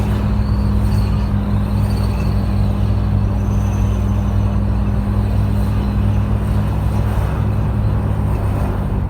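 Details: Toyota Land Cruiser 80 series (LC80) running with a steady low droning hum of constant level; an unidentified noise from the front end, cause not pinned down.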